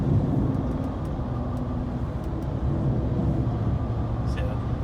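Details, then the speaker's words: 2007–2014 GMC Yukon driving at about 45 mph: steady low hum and roar under road noise, louder when loaded in turns; bad front wheel bearing, later confirmed by play in the hub, before replacement. "So now you can hear that wheel bearing pretty good, up to about 45 miles an hour."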